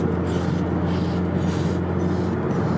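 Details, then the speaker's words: Car driving at speed: a heavy steady rush of wind noise in the cabin leaking past the corner of the door window, from a gap at the window seal. "there is a really really bad amount of weed noise coming from the window like the corner"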